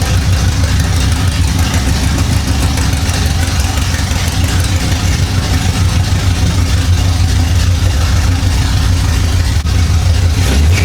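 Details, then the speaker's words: 1975 Chevy Monza 2+2 with a 350 small-block V8 swap, sat 20 years: after fixing the distributor, a deep, loud, steady burble with an even beat and no misses or knocks. Healthy idle. "Well, it looks like that did it. The distributor was the problem. Woo-wee! He sounds mean."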